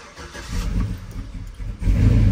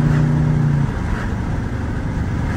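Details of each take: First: Cammed 4.8 Silverado V8 with Summit Racing cam and higher-stall torque converter, before tuning, start with no foot on pedal: lumpy rumble sags and stumbles after firing, bogging at idle; check engine light blinking for misfire. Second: Cammed 4.8 Silverado V8 with Summit Racing cam and higher-stall torque converter, street tuned, driving warm at moderate throttle: strong even drone, slightly lumpy cam beat, no knocks or ticks; healthy, pulls strong.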